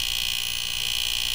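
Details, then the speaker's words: Fisher PC-19R90 15-inch CRT TV with back cover off, otherwise working: steady, piercing high whine with fast flutter from the power board area near the relay, caused by a failed capacitor there. "esta área de aquí es donde se escucha el sonido lo cual voy a empezar a quitar los capacitores"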